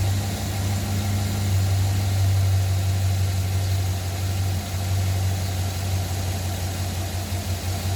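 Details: 2009 Silverado cold start: low, lumpy idle with uneven pulsing knock underneath; source not yet pinned down.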